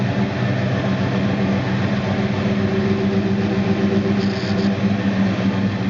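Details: 1969 Dodge Dart Swinger 340 V8, first start after reinstalling the K-frame, engine and transmission assembly: steady even low rumble with a smooth unbroken beat, no knocks or misses; normal idle.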